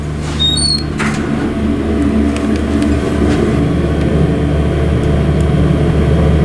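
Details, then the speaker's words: Original 1960s Dover traction elevator, Carlton Building, Colorado Springs, worn and prone to power stops. Ride from inside the car: continuous low rumble with scattered irregular clicks and creaks. Rattling and bumpy ride. "it's very bumpy and rattly but and it does power stop but i say it gives it character"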